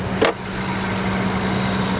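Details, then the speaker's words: Cheap auction Jeep: steady even idle with a low hum, no knocks or misses after a brief bump; engine sounds healthy, though load from the transmission is heard and felt when put in gear. "I know this engine is a nightmare I I know that you know everybody says to avoid them like the plague I I absolutely understand all of that but it sounds good it does"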